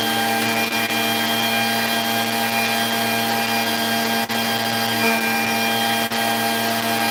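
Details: Vacuum run with the wand bypassed, hose straight to the head, pushed forward: steady even motor hum with no cutouts or dips; the wand is suspected as the problem.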